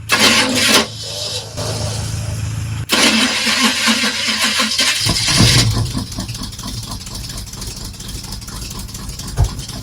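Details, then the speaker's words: Squarebody Chevy truck started on starting fluid: it catches on a burst of revs, sags into a faltering, uneven run and dies; the cause is not confirmed. "It started. We must have done something wrong. Oh! Died on me."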